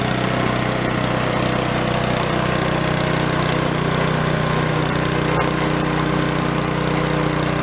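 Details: Gilson snow blower (roadside find, carb cleaned of acorns) after electric starter repair, steady even beat holding speed under load clearing snow, no misses or knocks; throttle slowly drops from full, linkage needs tension; normal running.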